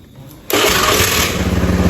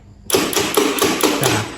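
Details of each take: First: Honda Beat scooter with new battery that only clicked on the starter (dynamo normal); after bypass rewiring for a weak CDI, engine catches promptly on the starter, settles to a steady thumping idle, shuts off and restarts cleanly: normal start and idle. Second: Honda Beat scooter with new battery and normal starter motor: rapid tek-tek clicking from the starter relay, about five a second, engine never turns over; mechanic blames a weak CDI, with starter circuit routed through the CDI.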